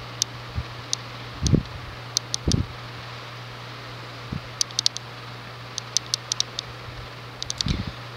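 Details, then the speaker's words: Casablanca Wailea ceiling fan from 2006 with wicker blades, 153x20mm motor, 25-degree pitch, 31.25" span, on high: steady low motor hum, no rhythmic knock or wobble, a few stray clicks; wobble-free, performance very decent, normal operation. "But, yeah. Performance is very decent, fan is wobble-free. Runs pretty nicely."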